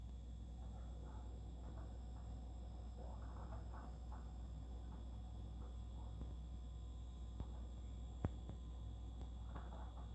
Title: Fridge weird noise